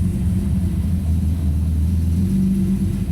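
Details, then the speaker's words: 1998 BMW M3 E36 3.2L straight-six with aftermarket supercharger, codes P0170/P0173, stalling and power loss; low steady idle that sags and recovers, hunting as if about to stall but not missing, traced to a vacuum leak at the IAC hose. "gonna leave it for a second it sounds like it wants to cut out it doesn't seem like a miss though it's not happy"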